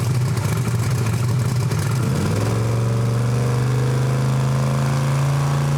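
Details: Almost 2,000 hp Camaro engine, warmed up, on the two-step during a low-power dyno pass: note climbs briefly, then flattens into a steady low drone that never rises; too much dyno load holds revs down.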